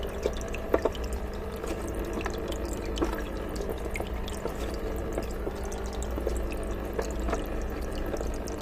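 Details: Aqua One Horizon 182 starter kit noisy hang-on-back filter: irregular drips and trickling as water falls from the outlet into the tank, over a low steady drone that the lid creates; noisy filter water splash.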